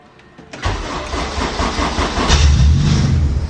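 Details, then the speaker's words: 1993 Honda Civic race car, retired and parked up for a while, coolant weeping slightly, started via its battery cut-off switch: short crank, fires within a second and picks up into an even idle with a blip of revs; normal start. "Oh. Oh. Oh. Hello. Yeah, you are running."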